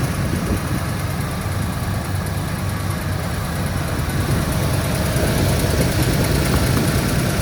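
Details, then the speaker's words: 1973 Ford Gran Torino Sport, 351 Cleveland V8, first run after 35 years sitting, no fuel pump hooked up, idled down: fairly steady, lumpy idle with even rumble and no obvious knocking; normal idle, runs not too bad. "Didn't really have any tools to mess around, so It actually sounds like it runs not too bad."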